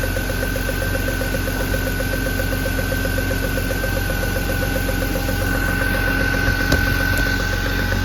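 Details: BMW E36 M3 at idle: light, quick ticking about four per second from the spark plug area, not the belt or exhaust manifold; possibly a loose spark plug leaking compression.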